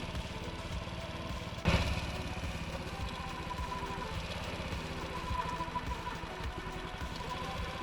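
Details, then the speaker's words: Honda Ruckus scooter after a new fuel line, warming up during idle adjustment: slow, lumpy idle that sags and lugs as if about to stall; idle speed set too low and being turned up. "it needs a little bit more see every time I hear it starting to kind of lug a little bit and wanting to stall out I just turn a little bit more throttle a little bit more on the idle"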